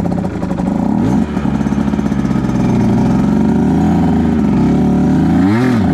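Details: 2010 Aprilia RS 125 two-stroke, VHSB34LD carb with 162 main, K57 needle top clip, B36 pilot and air screw 2.5 out: a ragged, uneven stutter breaks up the midrange pull at 6,000–7,000 RPM. The stock needle is suspected of running rich there; a K21 needle leans it.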